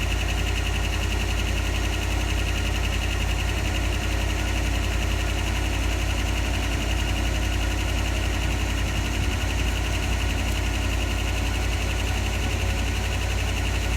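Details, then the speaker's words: 1988 Dodge Power Ram 4x4, fuel injected, started after sitting several years: steady low idle with light, fast lifter ticking, milder than usual after long storage and already quieting; expected to stop clicking within 5–10 minutes. "It's pretty good. Usually the lifters clatter a lot worse than that after it's set for a few years. It's already starting to quiet down, and in 5 or 10 minutes it probably won't be clicking anymore at all."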